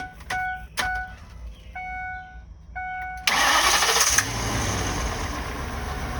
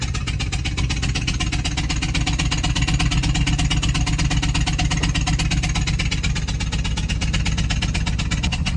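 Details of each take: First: Ford 6.8 V10 after repairing blown-out number five spark plug, Loctite set overnight, morning start: chimes, short crank, then a steady even idle with no missing beats or stumble. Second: Ford 6.8 V10 whose spark plug blew out of a rear cylinder (believed number five), breaking the coil pack: loud rapid puffing on every firing over a rough idle as combustion gas escapes the plug hole.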